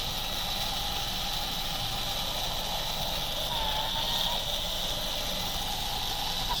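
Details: Slot car after pinion replacement and top plate tightening, run on bench: high motor whine with steady scraping hiss because the car was not seated correctly and the rear tire rubbed the post; amp draw about 0.06.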